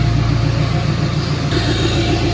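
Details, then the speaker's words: Early Ford 6.7 PowerStroke diesel idling outside after installing an OEM part and a Titan tank, no warning or check engine lights: a steady, even diesel clatter and smooth low rumble with no knocks or misses; healthy idle. "a lot different. That is a factory setup right there. Right on. Sounds good."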